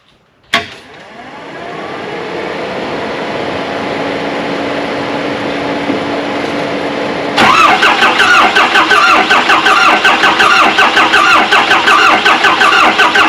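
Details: Diesel Bronco with a new compound turbo setup and upgraded valve springs, first start on a new battery: a long crank, then a fast clatter with sharp regular puffing ticks that point to an exhaust manifold leak; a fuel leak sits at the crossover return line.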